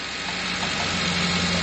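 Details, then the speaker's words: Truck idling after a coolant top-up, with faint bubbling gurgle and percolating, coffee-maker sound. Air is rattling through the radiator and cooling system because coolant is still low. "And you can hear the uh air rattling around in the uh radiator. You can hear that like percolating that coffee maker sound."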